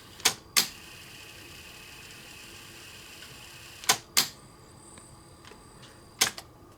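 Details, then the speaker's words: Pioneer CT-F950 cassette deck rewinding slowly with little torque: transport clicks around a faint thin whir; owner suspects idler wheel, not confirmed. "low and torque there why would that be usual thing is a an idler or idler wheel"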